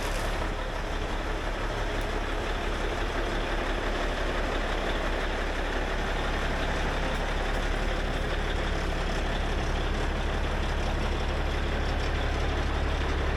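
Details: Peterbilt with a 6NZ diesel after an in-frame overhaul following head gasket failure: settles into a steady, even low idle with a smooth rumble and no knocks or misses; healthy.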